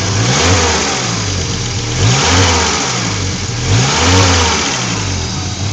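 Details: 1986 Audi GT Coupe petrol engine revving up and down twice with a steady hiss across the upper range throughout; exhaust leak suspected, not confirmed.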